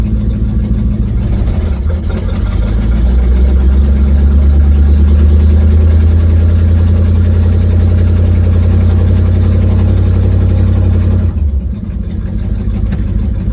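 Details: 1972 Ford Mustang driving home, phone in the dash, before repair: deep rumble swelling as the car pulls away, with a rough puffing pulse through it, from an exhaust leak.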